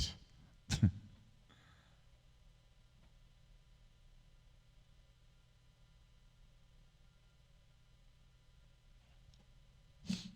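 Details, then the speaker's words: Slim fan AK-FN7 (made in China, same fan as the Rosewill apart from the sleeved cable) running: quiet with a low, steady low-pitched hum throughout, no ticking or rubbing; fan running normally. "it's pretty quiet but there's a low hum from it low pitch noise"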